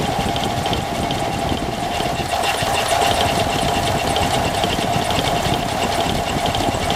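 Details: Engine at idle: a fast, rattly knocking runs under the whole steady idle with a ringing tone on top; abnormal noise of unknown cause.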